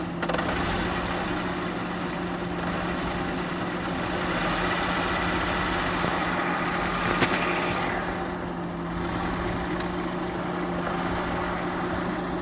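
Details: Countershaft of a manual gearbox running after gearbox repair: a steady idle hum with an even whirr and no knocks, grinding or whine; normal gearbox running.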